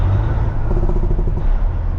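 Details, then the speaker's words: Truck diesel, stage two (medium) engine brake, fixed earlier via the engine harness: deep rumble and exhaust bark as revs fall away evenly and stop. Working normally. "This is stage two. This is one that we wound up fixing with the engine harness. And you'll listen and you'll hear it come down and stop like it's supposed to."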